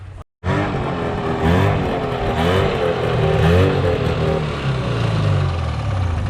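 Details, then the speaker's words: 1978 Polaris Cobra 440 two-stroke snowmobile, abandoned 20+ years, pull-started with choke: fires and revs up and down smoothly with crisp response; running cleanly and evenly. "it runs great guys it's so much fun yeah it's not very good on pavement"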